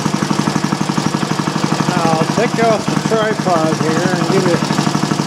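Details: Old single-cylinder Briggs & Stratton on bench with new Champion J8C plug and external coil, not warmed up: steady even putter about three firing pulses a second, no misses; normal running.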